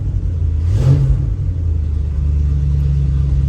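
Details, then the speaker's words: Ford 390 FE big-block V8 station wagon, new stainless Black Widow exhaust, heard from inside closed cab on high idle around 2500 RPM; steady deep aggressive rumble, no booming drone, quiet enough to whisper: normal exhaust at steady rpm. "I'm going to say for an exhaust that sounds aggressive like that but I could whisper in here it's pretty good oh and that was even on high idle"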